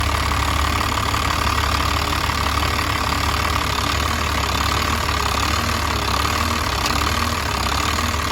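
A diesel idles with a dense, clattery beat that wavers unevenly instead of running smooth. Cause suspected, not confirmed.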